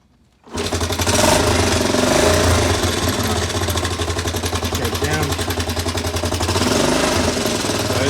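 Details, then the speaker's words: Honda CT110 postie bike, kick-started on a replacement carby to rule out carburettor issues, choke on: engine catches and runs rough and fast with a regular knocking, then stalls; knock source suspected, not confirmed. "It's not a happy engine. It's got some serious noise coming out of there, so I'll keep it off. It's stalled, but it's got a knock in it."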